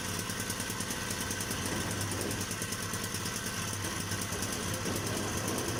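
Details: Hyundai portable generator running steadily with a fast, rough metallic chatter about three beats a second from inside; internal contact, cause not yet found.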